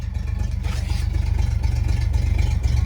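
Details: Barn-find 1970 Chevelle with its six-cylinder engine, newly revived and running: a steady low rumble with an even pulse of about four beats a second, no knocks or misses; it idles smoothly and healthy.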